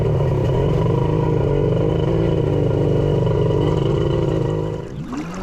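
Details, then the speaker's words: Engine with custom cylinder head: steady buzzy run with lumpy, uneven beat, sounds like running on only two cylinders; misfire, cause not yet found. "sounds like it's only running on two that's not ideal"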